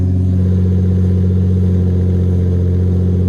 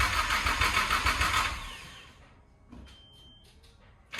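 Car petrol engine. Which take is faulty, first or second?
second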